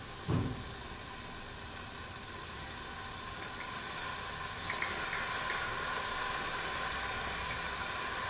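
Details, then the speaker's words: Jensen #5 electric steam engine warming up with new gaskets, no water leaks: soft sizzle growing into steady rising hiss as boiler heats and builds pressure normally. "you can hear kind of heat here start to sizzle and just close this off and crying built some pressure"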